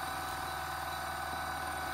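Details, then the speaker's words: Motor driven by a discrete PWM controller with four MOSFETs, battery-powered: smooth constant hum with thin steady whine near one kilohertz, no knocking or surging; running normally under speed control. "So when I plug this in, and it's a bit tricky holding all this with just two hands. So it powers the motor."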